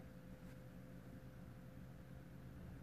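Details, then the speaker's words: BMW 118d non-starter, no communication with the engine ECU (DDE), ignition on, engine not running: faint, steady hum from the in-tank fuel pump keeps going and never cuts out; pump running continuously, which it shouldn't. "the pump in the tank is constantly going oh it's still running"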